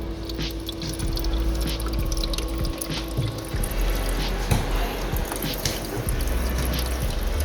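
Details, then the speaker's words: VREMI countertop ice maker filled to max line, just switched on and priming to make ice; low steady hum with trickling, splashing water, quiet: normal running. "okay so for an ice maker that's pretty quiet so while your because the family room is pretty close to the kitchen we watch a lot of movies this thing doesn't make a lot of noise"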